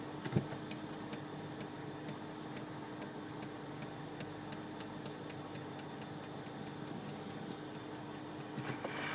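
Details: Volvo XC60: sharp, evenly spaced ticks, about two per second, repeating while the brake pedal is pressed; cause unknown.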